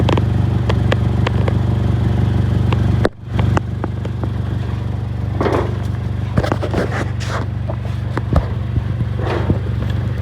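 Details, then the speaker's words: 2006 Honda Accord 2.4L idling, heard underneath: low rumble with loose puffing and scrapes from an exhaust leak at two cracked welds of a metal rod welded on as catalytic converter theft protection. "have a bad weld on this side too oh another weld over here so two bad welds right there"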